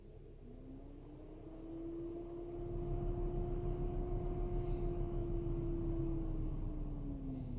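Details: BMW X5 E70 diesel with DTC 377A, radiator fan racing when the heater is on, coolant tested fine to -37°F: over a low rumble, the electric coolant pump hum rises, holds, then sags, failing, and was fixed by replacing the pump and thermostat.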